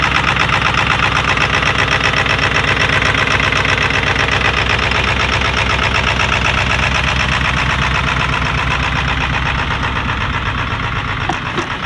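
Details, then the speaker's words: 20-year-old Ford 7.3L Powerstroke diesel started after a week at -40 to -50 F, plugged in about 3.5 hours; loud low, even clatter at cold idle with an exhaust leak, normal, idle rising once warm. "and the truck is gonna idle real low in a while it's gonna idle up when it gets warm enough"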